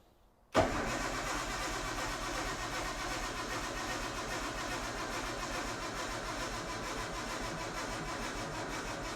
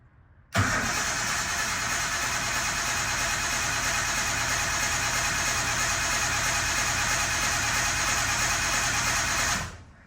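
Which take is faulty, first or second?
first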